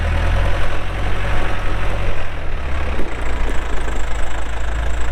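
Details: 2007 Case 580M Series 2 backhoe, 4WD, Extendahoe, pre-emissions diesel, 3,812 hours: deep, steady diesel rumble holding even under working load, no knocking or missing beats; runs good, hydraulics strong, normal healthy running.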